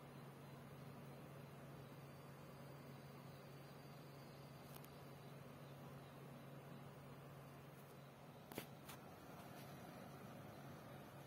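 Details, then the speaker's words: PC-Tech FA-500 500W ATX power supply with 120mm fan, under a CPU and GPU stress test. Quiet, even low hum at constant speed with no rattle; fan sounds healthy but does not speed up as load increases. "achei mais suave mas tem um detalhe esse frango ele não aumenta a rotação conforme stress aumenta da fonte"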